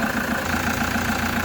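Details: Toyota HiAce idling after replacing non-charging alternator and new drive belt: steady even mid-pitched drone, no knocks or belt squeal; battery light went off and charging reads normal, engine healthy.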